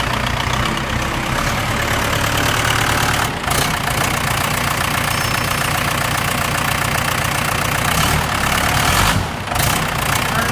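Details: Case 1840 skid steer with a Cummins 4BT on first start after rebuild (original broke the #4 rod, holed the block, broke the camshaft, bent valves): steady, even diesel idle clatter with no knock or miss; healthy.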